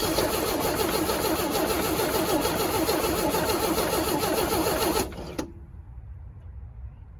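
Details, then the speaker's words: 1965 Chevy C10 short bed, sitting since 1994: steady rapid cranking about five seconds, no firing; owner suspects bad fuel pump, no fuel delivered unless it needs priming; electric pump planned. "Well, doesn't look like the fuel pump is any good, unless it just needs primed."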